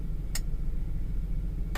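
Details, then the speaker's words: 2003 Ford Explorer 4.0L 4x4 with 4WD not working, stuck in snow, code for low 4x4 battery voltage. Transfer case commanded by scan tool (counterclockwise relay): two sharp clicks over steady idle, then the dash shows 4WD Low. Shift motor works normally. "so i heard it counterclockwise okay so that doesn't seem to be doing anything on the dash oh look now it says four wheel low"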